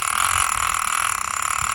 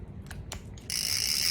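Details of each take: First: Penn International II 16S right-hand fishing reel, Made in USA, with its clicker engaged: fast, even, loud ratcheting clicks with a bright rasp as line pulls off; the clicker is working properly. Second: Used Penn International II 16S right-hand fishing reel with drag set, turned forward: a couple of clicks, then a steady, loud, high-pitched gritty rasp, a noisy rough crank.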